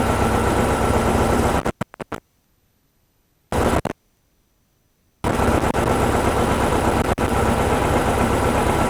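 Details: VW-based Porsche 356 Speedster kit air-cooled engine, test after remote oil filter over-pressurization repair. Oil pressure at 50 psi easing toward 45, no leaks, oil cooler warming. Even, steady idle with no knocks or ticks, broken by short silent gaps; healthy.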